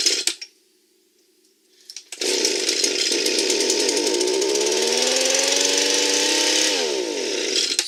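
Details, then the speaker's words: Echo leaf blower, small two-stroke, that previously wouldn't start, running after its clogged spark arrestor and a blocked carburetor channel were cleaned: after a pull it catches and revs to a steady, clean, even buzzing whine, running properly. "So it worked with cleaning out the spark arrestor and finding that little problem in the carburetor."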